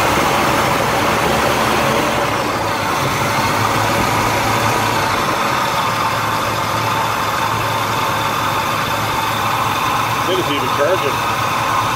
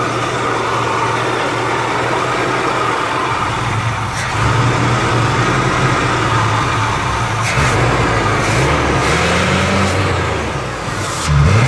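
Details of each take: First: Chevrolet Malibu Classic V8, first start after about ten years off the road: idles steadily but slightly uneven and a touch fast; electric choke found way out of adjustment. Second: Malibu Classic, first start in ten years: idles evenly for several seconds, then revs up and drops back cleanly a few times with smooth pitch changes; runs healthy.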